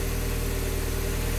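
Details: Project car at operating temperature after a coolant leak repair, cooling system pressurized and thermostat opening: steady, even low idle hum with a smooth regular pulse and no knocks or misses; normal.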